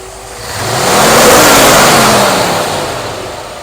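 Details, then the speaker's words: 1964 Ford F100 with a new Pertronix cast distributor, timing about 19° (TDC only eyeballed): a clean single blip climbs smoothly and falls back to idle without stumble or popping; normal throttle response. "takes throttle real nice 19 degrees"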